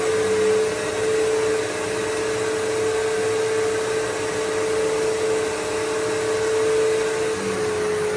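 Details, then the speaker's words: Bissell PowerForce 3522-1 upright vacuum after lubricating its squeaking motor: motor running smoothly with a steady, even hum and no squeak; normal running. "Sounds good. It was motor was squeaking so I lubricated it. It should be fine now."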